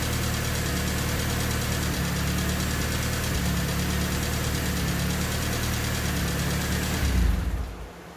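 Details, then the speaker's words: Honda D16Y8 swapped engine at idle after valve lash adjusted to spec, not fully warm: loose irregular ticking about three per second over the hum, still loud. Owner suspects the injectors; idle also hunting. "I mean, it's still ticking quite loud. Could very well just be the injectors."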